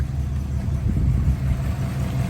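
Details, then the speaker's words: 1955 Buick Special Riviera, one-owner, 264 V8, automatic, idle after start-up: runs really sweet, low, even V8 burble, steady idle with no misses, knocks or ticks; exhaust audible. Normal healthy idle. "Runs really sweet, nice and smooth."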